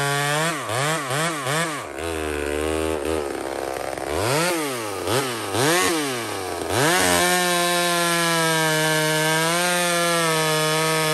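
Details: Small Homelite two-stroke chainsaw cutting maple: quick rev blips, pitch dropping as the chain bites, then a steady high howl, pulling strong and clean. Normal cutting under load.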